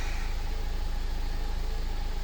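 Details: 2015 Mercedes-Benz CLA after repair of crank-no-start with low fuel pressure codes P0087 and P1CCF: smooth, even low idle with steady firing pulses and no knocks, misses or whine; engine running properly.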